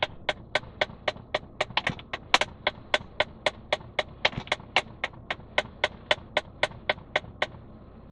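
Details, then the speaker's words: 2011 Ram 1500 at startup: sharp plastic clicks about four times a second from behind the dash, possibly two HVAC blend door actuators clicking together; a worn blend door actuator. "so that's that's the sound it sounded like two we're clicking at the same time for a moment there"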